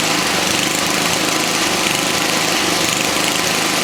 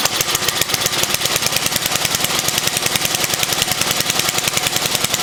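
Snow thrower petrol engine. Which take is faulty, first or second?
second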